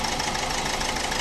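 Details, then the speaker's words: 2015 Ford EcoSport diesel with malfunction light on and a pickup problem: rough, shaky idle with an uneven, stumbling beat as one cylinder drops out. Misfire, with an injector or its wiring suspected. "దీని problem వచ్చేసి pickup problem ఉంది missing అవుతుంది. చూసారా engine ఎలా vibration అవుతుందో"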